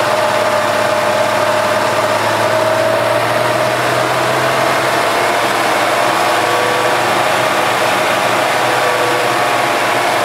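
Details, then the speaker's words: 2007 EZ-GO TXT gas golf cart with new battery: even, steady chug holding speed with no knocks or misses; runs normally, smells a little rich, owner thinks it burns a little oil and is worn. "okay and din sounds good smells a little rich so it's probably like it's burning a little bit of oil"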